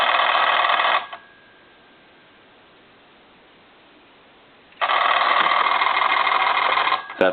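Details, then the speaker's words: Repaired German telephone, rear bell volume control at its lowest setting: a fast, rattling bell rings about a second, silent nearly four, then rings again; the control never fully turns the bell off. "all the way squelched down and I'll turn it all the way up see it just it just kind of squelches the bell and it has a bunch of different settings and it never really turns it off"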